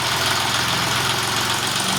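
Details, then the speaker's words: John Deere 5210 4WD tractor with newly replaced engine after old block cracked, first start: dense, steady diesel clatter at even idle, no misses; healthy, slight roughness expected to settle after 4–5 hours of run-in. "আওয়াজটা একবার শুনুন। এখন একটু হালকা ঘুম মারবে, 4 ঘন্টা 5 ঘন্টা রাওয়া হওয়ার পর ওটা নিজের পজিশনে চলে আসবে।"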